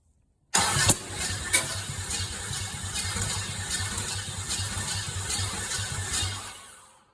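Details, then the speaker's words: Old Chevy small-block 350, sat about two years with oil in cylinders, carb primed by squeeze bottle: steady cranking with a couple of sharp pops; backfiring while cranking, distributor suspected 180 degrees off. "It backfired, which tells me it might be 180 off."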